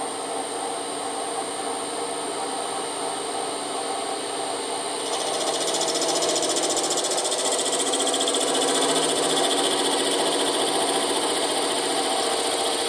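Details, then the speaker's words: Boring out a Moto Guzzi 250 TS swing arm worn by loose bushes: steady high-pitched cutting hum grows louder and busier midway as power feed engages, no chatter; cutting cleanly. "Okay, we seem to be cutting okay, so I've engaged the power feed."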